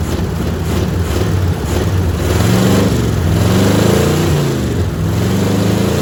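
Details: Old 350 V8 on open headers, run on a gallon of gas: loud choppy idle that wanders as it revs slightly; owner suspects it needs a tune-up and is missing on at least one cylinder.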